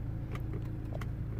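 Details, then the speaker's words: 2009 BMW 123d E87 driver window, codes 5DE0 and 5DE1: a few light scattered clicks from the door, relay only, over a low hum, no motor whir; window doesn't move up or down, cause not yet found. "nothing happens up or down but the thing the interesting thing is I can't even feel the motor try to go cuz sometimes you can hear the motor inside sort of clanking a little bit try to move the window all I hear is the relay and or a relay somewhere and that's it"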